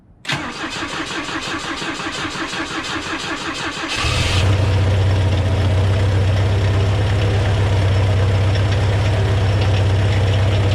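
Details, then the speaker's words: Volvo B20 engine after years of sitting, carb float bowls refilled with fresh fuel: fast, even cranking for four seconds, then it catches and settles into a low, steady idle that isn't quite clean; rough running. "oh yeah all right that's enough i think woohoo not the healthiest of engines but it is running"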